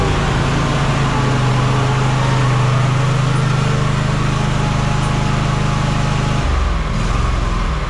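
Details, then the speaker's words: Walker mower deck gearbox after fitting a fix setup that had cured the noise on another deck. A steady, even drone with a low hum and no metallic rattle or scrape; the noise is gone: normal running. "Okay, so I just fired it up and it didn't make the sound at all, but of course I forgot to hit record on the camera, so let's do it again."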